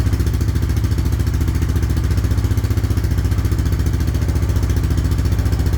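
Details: 1998 Honda 300 4x4 ATV that sat for years, run after adding oil and before a carb job: low, steady single-cylinder thump at an even idle with no misses; running properly.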